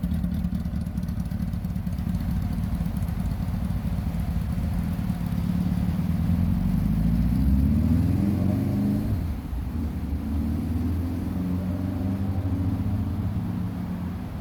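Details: 1982 Suzuki GS850 shaft-drive motorcycle, running after repair of a ground-down rear wheel hub drive spline. The engine pulls steadily and rises in revs mid-clip, with no clunks or clatter from the rear drive. Normal running.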